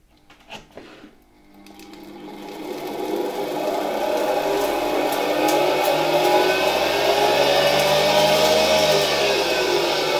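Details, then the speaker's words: Bare SK-5 motor from a 1960 Alfa II vacuum cleaner, run on the bench through a regulator at reduced voltage; spins up to a steady whine with a faint rough hum from tired bearings and a noisy turbine. Motor works; worn brushes to be replaced later. "It's like in old motors: you can hear the bearings a bit, the turbine is a bit noisy, but in general I'm happy that the motor works"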